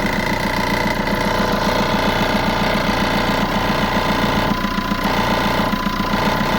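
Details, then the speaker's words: Ford Ka at idle after starting: steady fast buzzing rattle from an unclamped part vibrating because its retaining clamp is broken. "it's quite annoying when you start in the car you just need something to hold that in place cuz you normally got a clamp that's Clips onto that and Al place like that but that's broken on this which is quite standard"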